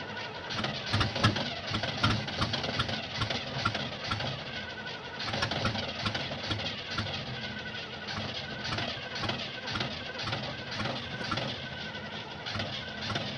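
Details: 1975 Oldsmobile that won't start: starter keeps churning the engine over in an even rhythm, but it never catches or runs on its own; cause unknown.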